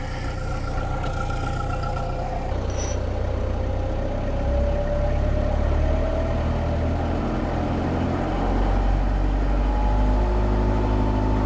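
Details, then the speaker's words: Perkins 4.108 marine diesel, first run in about six years, prop engaged for load: steady diesel clatter firming smoothly as load comes on, no knocking or stumbling, no smoke, water flowing; oil pressure and temperature good; normal running under load. "sounds good oh that sounds great started right up too"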